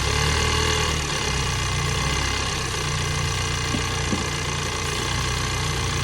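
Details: 2022 Ford Bronco 2.3-liter four-cylinder turbo at idle with a faint, uneven tapping and a light whir over the steady idle; abnormal engine noise, source undetermined.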